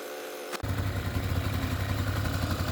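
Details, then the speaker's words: Kymco ZX two-stroke scooter on premix, first run on new carburetor after reed valve gasket found missing: picks up from quiet idle into steady raspy buzz as throttle cable is pulled, holds clean; runs normally. "okay so let's try the new carburetor so when some guess sounds good little low on the need to adjust it so we can see the oil coming speed it up a bit by pulling this it goes"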